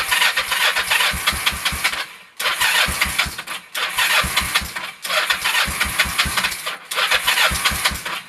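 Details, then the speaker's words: 1996 Kawasaki Vulcan 500 on a cold start at about 28°F: repeated bursts of fast, even cranking with pauses, never catching. The idle is set too low and the owner suspects it's too cold to start. "all right it might just be too cold I don't know we'll get back with you in a minute and see if we can get this thing going"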